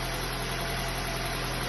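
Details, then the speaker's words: Ford New Fiesta with Sigma engine at 121,000 km, cold first start: a dull, even clatter from low in the block that points to piston slap. "vocês acompanharam comigo aqui o barulho que ele tá fazendo certo é o new Fiesta"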